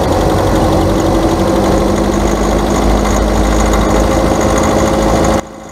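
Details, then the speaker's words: Car engine at idle: a light, continuous clicking ("clic clic clic") from the upper engine, steadier than the intermittent clack of a bad CV joint; misadjusted valve lifters. "bien amigos el segundo cascabeleo o que nosotros podemos decir que se escucha como un cascabel usted lo puede oír que es más continuo el otro hacía clac clac clac clac en este es más continuo clic clic clic clic clic"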